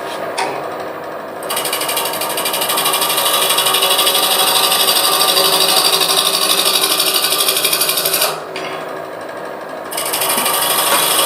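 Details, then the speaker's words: Wood lathe roughing a hollow vessel with a 3/8 bowl gouge, slightly out of balance: steady cutting hiss with a regular tick about three times a second, normal sound of the gouge hitting end-grain fibres, different from side-grain cutting. "I don't know if you could hear the ticking as I was bringing that down but the ticking is where I'm coming around and hitting the in Grain fibers and it sounds different than when I'm cutting the side grain fibers"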